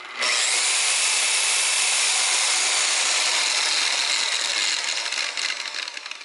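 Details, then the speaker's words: DeWalt rotary polisher (DWP849X listed) running at full speed on a table: high, steady whirring whine with a gritty edge from its noisy gears, loud but normal, no failure. "mean that's got some noisy it's definitely noisy it definitely has you know the noisy gears"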